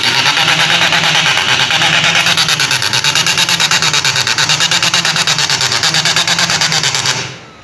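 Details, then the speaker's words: HP LaserJet 1536dnf MFP at power-on: harsh, rapid ratcheting grind at about three rasps a second. The problem is located in the gear assembly, where drive gear teeth are stripped. "तो यह इसमें problem है अभी देखते हैं कि इसके असल प्रॉब्लम तो यह यहां पर गेर असेंबली में है लेकिन किसी वजह से हो रहा है"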